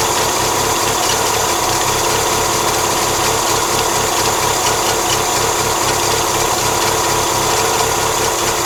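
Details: 1997 Mazda MX-5 Miata, microphone on the radiator, engine idling about a minute: steady idle with a fine rattling, knocking undertone over the engine hum; something abnormal, source unknown, owner seeks suggestions.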